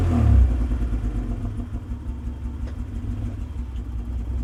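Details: 1995 Mitsubishi 3000GT base model under revving: uneven low chuffing exhaust flutter about three per second, no check-engine light, sometimes runs rough idling and driving; possible misfire suspected, cause not pinned down.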